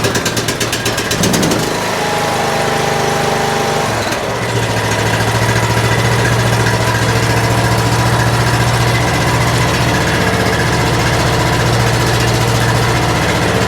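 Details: Troy-Bilt Pony riding mower, first start after fixing loose fuse-block connection, choke on, oil just above minimum: small single fires after brief cranking, settles into steady, even, slightly fast idle; throttles up and returns to idle, normal.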